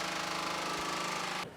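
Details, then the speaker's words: 1979 Jeep Cherokee parked over 20 years, ignition switched on: loud steady rattling buzz with fast even pulse from mid-vehicle, cutting off abruptly; owner thinks it is the electric fuel pump. "That thing is making the noise, and I think it's the fuel pump. I think it's an electric fuel pump."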